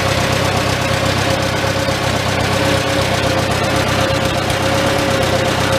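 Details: Old Farmall tractor four-cylinder idling in neutral inside a tight, smoky shed with the muffler cap removed, just after starting on choke; low, fairly even tick-over with steady exhaust beat, no knock. Normal idle, running not too bad.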